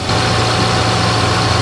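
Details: 2011 Toyota Tundra 2WD 4.6L V8, raised up in the air, after power steering rack replacement and bleeding air; smooth even low idle with steady pump hum, no knocks or whine; steering now easy, no leaks. Normal idle.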